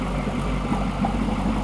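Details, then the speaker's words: Freshly built LBZ Duramax V8 diesel for a 1000hp Camaro on first startup: heavy, even diesel clatter at a steady idle, no misses or surging, ground shaking; runs cleanly. "That sounds crispy. Ooh, feel it in the ground? Feel the ground? Yeah. Yeah, you can feel the ground shaking."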